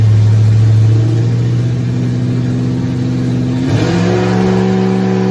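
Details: Nova race car V8, first fire-up in 38 years after priming fuel system, timing being set: rough, lumpy catch then blips with rising pitch and settles, no knocks or squeals; runs, but coolant leaks found at water neck housing.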